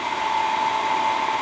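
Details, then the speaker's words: 1977 Hydro Flame HF-16 furnace blower motor, refurbished, running on high on the bench drawing 4.2 A after an 8 A start spike: steady, even mid-pitched hum with no wobble, ticks or scraping; normal, blower ready to go back in the furnace. "but it runs 4.2 the blower motor and blower is back in the furnace it's ready to go"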